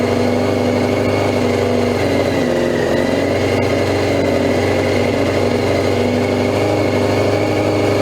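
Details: 2002 Yamaha YZF R6 sitting 6 years, first start on fresh gas via an electric fuel pump: loud, busy idle holding speed but uneven and lumpy, as if not all cylinders pull. Fuel leak traced to a loose carb drain screw; float sticking suspected first.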